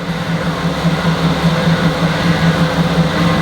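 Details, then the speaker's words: Wrecked Mercedes-AMG GT after refilling the empty power steering reservoir: steady low hum with a pulsing whine over the engine from air in the power steering system, easing as the steering is turned lock to lock to bleed it. "that's not a nice noise but we have some power steering oh that sounds horrible but after locking it from side to side a few times to bleed the system it did start sounding better"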